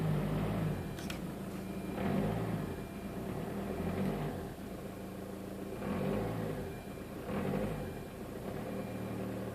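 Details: Peugeot 407 2.0 HDI diesel, cold engine at 1200–1500 rpm: revs rise and fall about every two seconds with rough crackly popping under the bonnet on the passenger side on each rise; source unclear.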